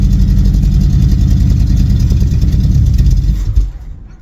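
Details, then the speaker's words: El Camino V8 bought sight unseen, stalled when delivered: lumpy, uneven idle that sags and stalls after about three and a half seconds, no knocking; owner suspects vacuum leaks, expected to ease once warmed up, not confirmed. "we get it running and vacuum leaks is probably the issue but once that uh warms up a little and vacuum shouldn't be too much of a issue"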